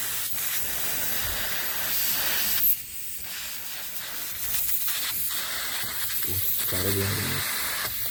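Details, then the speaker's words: Pressure test of repaired fridge at about 10 bar after brazing on a valve: strong, steady hiss of gas escaping at the return (suction) line, with one brief break. Refrigerant leak found there; capillary also clogged, to be replaced, and the return line to be renewed in copper. "Xo'p, hozir 10 bar atrofida damladik, o'sha maytdan ovoz kelyapti."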